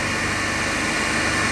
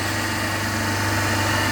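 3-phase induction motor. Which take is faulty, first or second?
second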